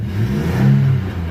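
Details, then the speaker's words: Chevy 4.3L Vortec V6 in an S10 with 274,000 miles, low oil pressure, a worsening erratic misfire for six months and a replaced distributor: after adjustment it pulls evenly up through the revs under load with no stumble, running clean. "That runs clean."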